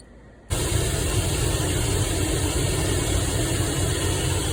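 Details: Chevy Vortec 4.3 engine running steadily with a loud, rough whirring hiss on top from a worn idler pulley bearing.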